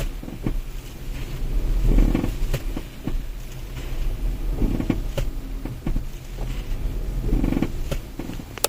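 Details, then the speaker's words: Ford Puma Gen-E electric, front suspension arm: dull creaking groan from the front axle during low-speed load transfer as the nose dips and lifts under acceleration or deceleration; repaired under warranty. "Ecco, come avete sentito il rumore si sentiva eh nei trasferimenti di carico a bassa velocità, quindi accelerando o decelerando, quando il veicolo pianta il muso, lo solleva, si sente questo rumore fastidioso prevenire dall'avantreno."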